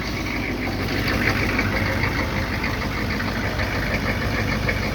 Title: 1995 Chevy 3500 6.5L Diesel (Hard Starting Smoky Cold Start)